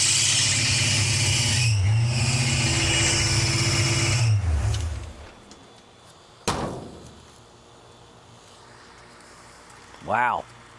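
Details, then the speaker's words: Car with a newly replaced distributor, which likely had just run out of gas: it runs raggedly with a loud high squeal from the alternator belt for about four seconds, and the belt smokes. Owner suspects a failing alternator or a voltage issue. Squealing alternator belt. "I don't know why the alator squeaking so bad it's either bad or something I don't know so let's just start it up let's see what happens"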